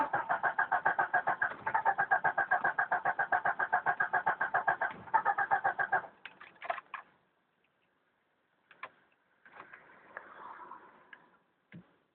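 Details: 1992 Jeep Cherokee petrol 6-cylinder, first start of day, about 24-26°C: steady even cranking about four turns a second for six seconds, then quits without catching; hard starting, cranks but won't start.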